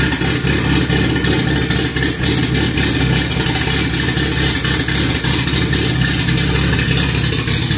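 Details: Cammed B18B1 Honda EG, first start on E85, started by jumping the starter wire, stock MAP sensor: lumpy, choppy idle with a loping cam rhythm and hiss over it; healthy big-cam engine settling at idle.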